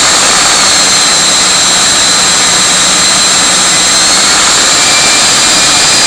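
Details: Viper 11 90 mm ducted fan on a Starmax 39 mm inrunner motor, initial test run after balancing: airy roar with a flapping flutter at 2300-2400 rpm that returns at a higher rpm; blade tips suspected.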